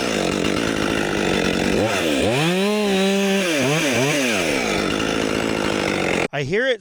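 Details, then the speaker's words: New Husqvarna 564XP fuel-injected 60cc chainsaw at full throttle cutting wood: pitch sagging and surging unevenly as it bites; engine pulsing under load, cause undetermined. "hear it sort of like pulsing or something."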